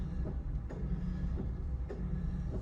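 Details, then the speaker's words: 2005 Honda Civic Hybrid, 235,000 miles, idling with A/C on and cooling fans not running: light clicks every half second to second over low idle hum; clicking stops with air off, source not yet found. "Here's one of the things it does that's odd, and I'm probably because the car's old. But you can hear it clicking."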